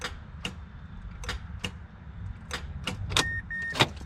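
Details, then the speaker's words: 2006 Mazda 6 V6 automatic, key turned: sharp irregular clicks, about eight in four seconds, with a door chime and no cranking; failed starter wanting to engage but unable to. "hear that the starter wants to engage but it can't"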